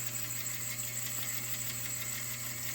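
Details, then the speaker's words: 1976 Rowe R-80 jukebox, 45rpm, 200-select: a steady mechanical hum with a fine whirring hiss, the selector turning without any latch clunk, so nothing gets selected; cause suspected, not confirmed. "but it's not actually selecting anything"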